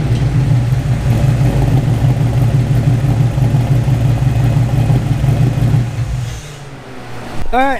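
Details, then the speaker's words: 1999 Ford Mustang GT V8 with a cam, first start after the build, untuned, with full exhaust, recorded in a garage: deep even rumble with a slight lope that settles, no knocks or rattles; healthy. "know what you think I mean it's not not the loudest thing in the world obviously being in the garage makes it a little bit more loud but it has a nice tone to it"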